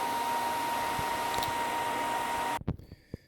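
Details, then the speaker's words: PlayStation 3 after thermal paste reapplied (Arctic Silver 5): a loud, steady rushing fan with a thin whine cuts off abruptly, with flashing green/red light and a "system has become hot" warning. Overheating fan at full speed, before another reapplication. "okay so before i could even get the game in it became the fan came on and now i got the flashing green red and it even gave me a warning which went away but it said the system has become hot"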